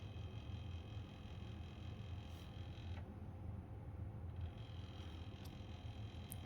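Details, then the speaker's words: PlayStation 2 SCPH-30001 after a laser swap, reading a DVD with the drive mechanism not screwed down: a low, steady buzzing rumble while the disc spins; vibration from the loose mechanism. "yeah don't worry about that noise it's just because I don't have the screws in it it's vibrating"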